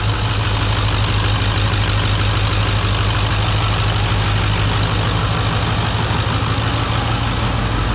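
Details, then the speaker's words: Diesel truck, Stage 1 build, first start: steady low, even diesel clatter at idle with no misses or knocks; engine sounds healthy. "I don't know if you can hear me, but this thing's running. Can't believe it."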